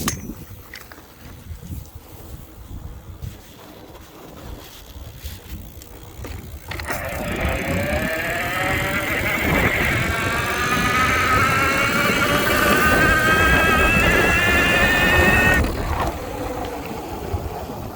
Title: bafang M620 Whining noise